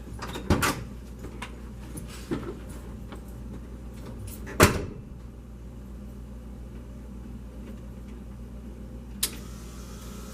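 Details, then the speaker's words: 1987 Ford F150 inline 6 EFI after replacing EGR pressure feedback sensor (DPFE) for code 32 rough idle and stalling: steady, even, smooth idle with slight occasional fluctuation, clicks from handling nearby. "this is really fantastic it's running quite smooth awesome"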